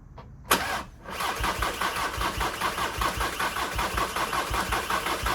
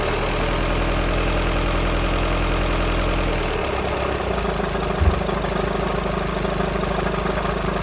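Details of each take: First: VW Sharan 2.0 TDI common-rail diesel (CFFB) after a timing belt and rocker cover job, injectors not bled, cold start after one to two weeks: short crank, fires within a second, steady even idle clatter; starts fine. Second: VW Sharan 2.0 TDI common-rail CFFB, cold start after timing belt and injector work without bleeding: loose, uneven rattle over the diesel clatter at idle, suspected bad tensioner pulley, not engine; possible diesel leak at injector 4.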